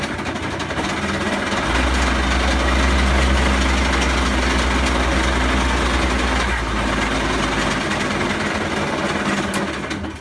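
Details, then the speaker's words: WK 50cc GP two-stroke moped, carburettor needle clip found reversed and refitted: loud uneven idle with a steady thrumming knock that never smooths; rough running, worn piston feared, cause unclear. "okay it don't really sound good does it"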